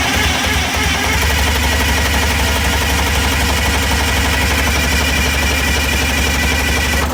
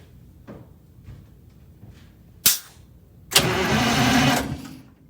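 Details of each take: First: Eagle bus diesel after hydraulic-to-belt-drive fan conversion: sharp even puffing ticks about four per second over heavy diesel rumble until shutdown, from an exhaust leak on the after (outlet) side of the turbo. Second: Eagle bus diesel after converting hydraulic fan to belt drive: one sharp bang, then cranks and catches quickly, roaring evenly; clean start, though a turbo leak is noted.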